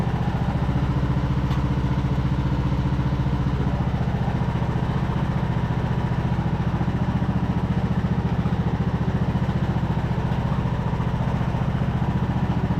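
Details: Craftsman YT3000 riding mower, abandoned four years, revived after old oil drained thin as water, spark plug cleared with compressed air and fuel dribbled in: steady, even low putter, no pulley squeal or clatter; runs healthy.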